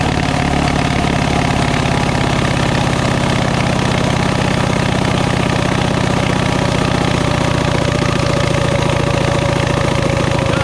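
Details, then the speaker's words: Coleman CT200U-A minibike, 196cc single, started with rear elevated, choke used: fast, steady buzz far too high for idle, engaging the clutch as if throttle stuck though it isn't, despite carb screw backed well out. High idle; cause unconfirmed. "when we start it up I just cannot get the carburetor um down low enough to where the bike isn't just taking off uh like the throttle stuck but the throttle is not stuck"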